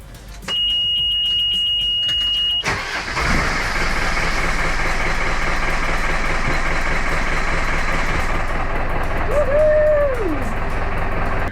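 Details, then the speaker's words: Sailboat diesel engine restarted after stopping at sea, with air bled from the fuel system and an air leak at an improperly bedded filter fixed: alarm buzzer, then the engine catches into a steady, even chug; normal running. "the engine's running which is good news uh and I one of the filters when I changed it I hadn't bedded it properly so there was a slight air leak"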